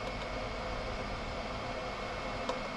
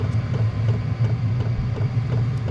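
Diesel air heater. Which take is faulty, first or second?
first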